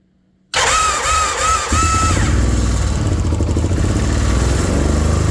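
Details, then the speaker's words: Wildcat 1000 side-by-side after reassembly: starter whirs, then it catches but idles with an uneven lope and missing beats, running on one cylinder; a rag left in the cylinder head was found, and timing was also wrong. "as you guys can see it is still not running right and I still have to do something and it's going to be super funny when it happens"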